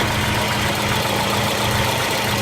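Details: Volvo 240 after fuel pressure regulator replacement, no leaks found: steady, even idle with no stumble or hunting throughout; running cleanly now.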